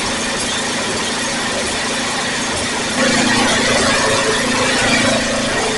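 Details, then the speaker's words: Snapper rear-engine 8 hp mower, revived after years in a field, after resetting the carburetor float that was set very low: steady, even putter at constant speed with no misses or hunting; runs real nicely. "So where we're sitting right now with it, it runs real nicely."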